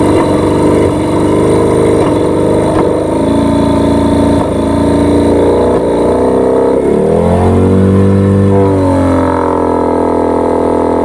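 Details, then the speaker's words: Yamaha 15 hp two-stroke outboard, hard to start, brought back by its owner for repair: runs roughly with speed surging and sagging, sputtering and dying instead of picking up under throttle; causes found were stuck piston rings and a dirty exhaust. "lalu kita dengar apakah mesin ini bunyi brebet kemudian tidak bisa naik gas, karena mesin ini dibawa tuannya sama saya lagi untuk diperbaiki."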